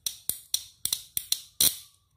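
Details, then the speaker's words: Motorcycle starter relay bench-tested with a battery and a multimeter for continuity: six crisp evenly spaced clicks, then a sharper snap as the copper contacts close when the battery lead is connected; relay switching normally. "Jika saya tancapkan kabel satunya tadi yang terhubung di aki, dia akan berbunyi cetik seperti ini."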